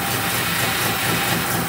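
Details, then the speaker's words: 1970 BMW 2800 CS (E9) coupe, stored untouched for 38 years, first start after storage: it fires very easily and settles into a steady, even six-cylinder idle with no misses or knocks; normal idle. "no way no way no way that is not fake I cannot believe how easily that just that's ridiculous wow that's so impressive"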